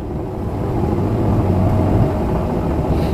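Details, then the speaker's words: Electrolux EWT top-loading washer, manually filled, in the spin cycle. The gearbox brake releases so the drum and pulsator turn together. Smooth, steady low hum building slightly, with no grinding or knocking; normal spin. "jadi ketika Spin ini gearbox-nya gearbox itu tuu ada rem ya teman-teman Ada remnya nah remnya itu ketika ketarik maka akan berputar tabung atau drum yang besar ini beserta pulsator yang di bawa"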